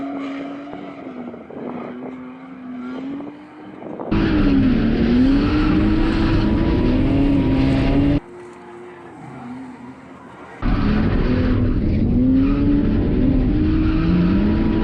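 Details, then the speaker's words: BMW E46 328Ci drift car after fitting a DIY swirl pot to fix fuel starvation, run with an almost empty tank: hard full-throttle pulls with revs climbing cleanly and no bogging, so fuel delivery is holding up. "even draw off all the fuel and went for a run with almost an empty tank and you could just floor it and it wouldn't bug down it just didn't care so yeah this swirl pot setup just works really good"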